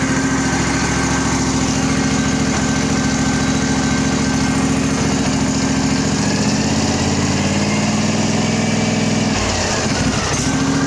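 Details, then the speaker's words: Craftsman riding mower with a Briggs single-cylinder engine, after fitting a used starter, choke off, oil due for a change: runs smooth and steady, then picks up cleanly when revved. "there is oil in it just needs to be changed but actually it runs really really nice"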